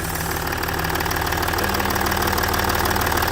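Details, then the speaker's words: Range Rover Sport L320 3.0 V6 twin-turbo diesel (306DT) after replacing a burst inlet manifold (P1247/P006A, restricted performance), running a minute or two: even idle clatter with no hiss or leak chuff. Nothing blown off; sounds good. "Yeah, she sounds good. Nothing's blown off it."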